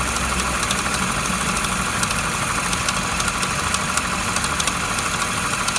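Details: MINI R60 Crossover idling: a hissy, rattly hum with faint irregular ticking, an abnormal noise from a deteriorated water pump pulley.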